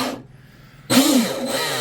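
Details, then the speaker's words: Twin brushless RC boat on 6S after TFL Zonda motor mount and drive line upgrade, bench test: quiet, then motor snaps on with a smooth rising whine settling to an even run; sounds healthy, normal motor run. "Sounds good. Sounds good. I don't think it could sound no better, you know."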